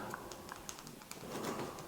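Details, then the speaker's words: Replacement push switch for a faulty Dynamic Sounds wireless doorbell transmitter (visitors' presses not heard at the two receivers), pressed before fitting: crisp, sharp, consistent clicks about every fifth of a second, sounding far better than the old switch. "if you can hear that, it sounds absolutely fantastic compared to the other one."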